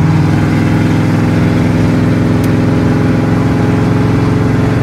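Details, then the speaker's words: Chevy C30 V8, warmed to about 210, on highway accelerating from about 35 toward 65–75: steady drone faltering and wavering in a loose uneven rhythm; stumble under load, cause suspected, not confirmed. "i started to sounds good for a minute but once i start getting real fast getting on it bringing the heat up it just goes way down to [ __ ] i mean it just drops off the face of the earth"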